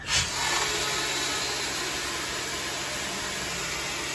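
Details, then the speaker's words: Prevost bus RV conversion failing inspection, brake applied: steady sharp hiss of compressed air escaping, located by ear on one side near a valve or tank and checked with soapy water; exact source unconfirmed. ">> Sounds like it's this side. >> Sounds like it's over here."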